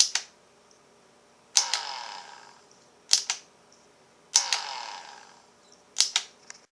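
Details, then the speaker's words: Ryobi P738 inflator, tried with different batteries, in a quiet room: four trigger pulls each give a brief whir that dies within a fraction of a second; cause unknown, owner suspects a switch or wire. "When you go to start it, the motor starts and then stops. Just a split-second run."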